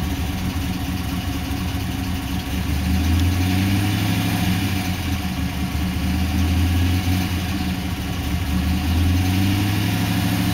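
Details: Pontiac GTO LS2 V8 at idle: deep, slightly lumpy idle with a light, rapid tapping at about three per second, steady with engine speed; the owner suspects piston slap, not confirmed.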